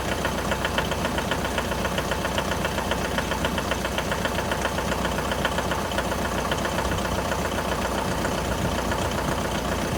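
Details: 2011 Mitsubishi L200 with 4D56 diesel at cold idle: regular sharp knock, about two and a half per second, over the idle; cold-start engine knock, source not pinned down.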